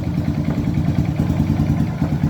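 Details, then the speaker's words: Honda Titan 150 motorcycle after replacing the worn cam chain tensioner: steady even single-cylinder idle thump, the loud engine noise almost 100% gone. "Vou funcionar ela aqui agora pra nós ver como é que ficou o barulho da bicha. Aí, ó, diminuiu quase que 100% do barulho. Zero."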